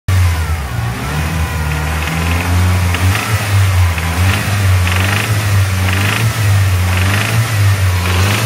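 Engine revs up and down with a steady low drone and a faint periodic rasp on top, some unexplained noise under load. Cause suspected, not confirmed.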